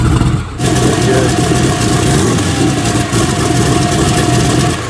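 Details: Freshly built turbo Dart-block race engine in an S10, fired back up after timing turned up slightly: loud, rough but steady low rumble at idle, no knock or tick; fresh engine idling healthily.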